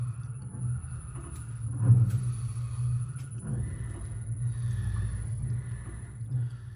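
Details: Lamborghini Huracán BWI MagneRide shock absorber on a dyno after repair, set to hardest setting, about 260 kg in compression and rebound: steady, even stroking rumble with no knocks or squeaks; damper working properly.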